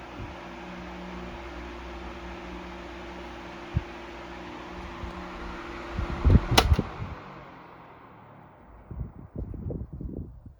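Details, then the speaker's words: 1973 Frigid (Mitsubishi) 16-inch GT16-S oscillating fan, spin-down from high: switch click then hum running down smoothly, no scrape or bearing rumble; healthy, only neck fatigue cracks noted. "But other than that, I think the fan's in pretty good shape. We'll see what the spin down has to say."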